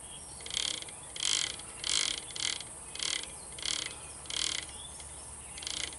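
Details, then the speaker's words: Refreshed starter generator being reassembled, turned by hand: sharp ratcheting clicks in bursts about once a second; suspected to be just a brush riding on the commutator, unconfirmed. "I don't like that. You hear that? Although I think it's just the brush is writing on the"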